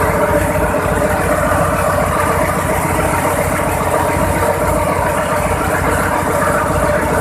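Big diesel settles into a loud, even idle with a steady low drone and no knocks or misses; runs healthy.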